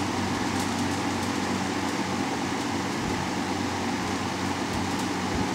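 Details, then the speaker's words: Vintage Dominion 20-inch box fan model 2079, 1.7 A 125 W Fasco MO-722 motor, dirty and needing oil, as received; on low speed an even rush of air over a low hum, no rattle or ticking: normal operation. "I did test it so it does run start on high work our way to low now for low"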